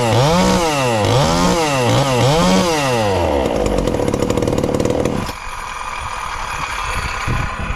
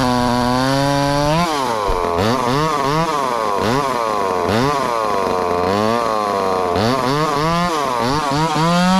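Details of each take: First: Ported, low-compression 2375 chainsaw (about 140 psi expected) on pump gas before the methanol conversion, recorded as a baseline: revs up and down about twice a second with a crisp, even note, then shuts off. Runs fine. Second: Ported 2375 chainsaw on methanol after carb mods and ignition timing changes, bar buried in dense wood: revs bog and surge in uneven swoops as it chugs. Owner judges it a little lean but not dangerously so, and says it needs more fuel.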